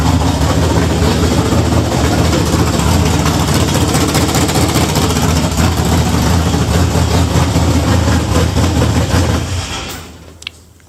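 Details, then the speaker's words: Budget Chevelle V8 with no muffler, before fitting a used Caprice exhaust: very loud, raw, deep rumble with crackling pulses at steady idle, then shut off. Open, unmuffled exhaust. "you guys kind of get the point. It's a little much to be driving around the neighborhood like that."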